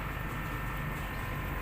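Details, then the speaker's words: Sharp R32 split AC outdoor unit switched on after indoor unit relocation and re-vacuum: steady, even low hum with no knocking or rattling. Clamp reads 1.6 A (1.9 A max), freon pressure 160. Compressor running normally. "Oke, di sini udah saya nyalakan ya. Udah dinyalakan."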